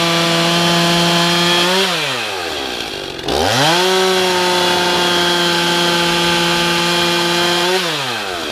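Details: Stihl MS311 chainsaw rebuilt with a Chinese piston and honed cylinder after burning up, test run after half choke start: steady idle pulls up cleanly to a smooth high rev and drops back twice, no stumbling or bogging; normal idle and revving.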